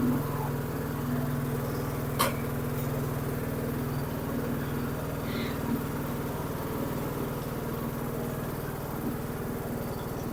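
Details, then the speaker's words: Dixon 2042 riding mower, 20 hp engine, 42 in cut, after an oil change: single-cylinder engine chugging at an even, steady beat with no misses or knocks, runs like new. "well there you go runs like new again"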